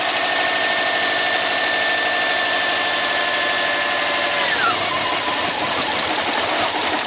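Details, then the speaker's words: Subaru that barely runs with the alternator connected and runs well with it unhooked, after a compression check and leak-down test passed and a junkyard ECU was fitted: steady high whine drops in pitch midway and turns rough; fault not pinned down. "wow it okay unhook it customer complaint confirmed that's crazy I've never seen this before on any vehicle"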